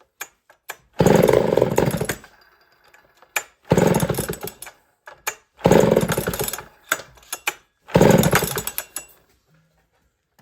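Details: Homelite Super 1050 chainsaw, last run about six months ago and with a crunchy carburetor diaphragm, started on choke: four short bursts of firing that cut out abruptly each time, as if starving for fuel.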